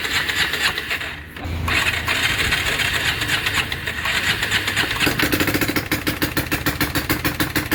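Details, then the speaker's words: Bajaj Pulsar 220F first start after clutch assembly work: bike turns over, briefly catches with an odd uneven clatter, won't keep running. Cause not yet identified. "तो जैसा आपने देखा कि bike एक बार के लिए तो स्टार्ट हुई थी लेकिन बहुत अजीब सी आवाज कर रही थी।"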